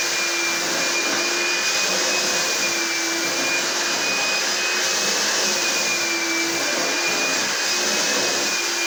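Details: Carpet cleaner running normally after pump switched on and water added, owner suspects earlier fault was a small blockage or trigger connection issue; even, steady high-pitched motor whir with constant tone, no surging or rattles.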